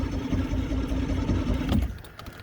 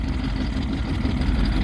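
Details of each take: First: Vintage boat engine, first start in over 20 years after sitting, on the lake with primer bulb pumped and choke in: uneven cranking chug stops and resumes but never fires. Owner suspects it isn't getting enough fuel yet. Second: Vintage boat's old two-stroke outboard at first start in over 20 years, idling on the water before the maiden voyage: low, even burbling with no misses or knocks. Normal idle.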